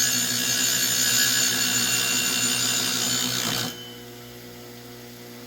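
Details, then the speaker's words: Hand-spun car idler pulley with replaced bearing, checked before refitting: smooth, even high whir fading out without rumble or ticking; the bearing sounds good and true. "spinning pretty good yeah all I did was just spin it up and you can feel it if if it's out around you can really feel it"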